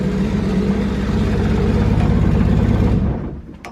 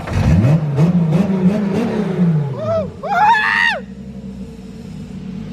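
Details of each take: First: RB25DET engine swapped into an S13 at first start after a wiring harness fix, drive-by-wire set up. Uneven, lumpy running with a loose rattle, then it dies; seems not on all cylinders, cause unconfirmed. Rough running, misfire. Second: RB25DET engine swapped into an S13 with a fixed wiring harness and drive-by-wire using a 350Z pedal. Clean revs on quick blips that rise and fall smoothly with no stumble. Normal revving.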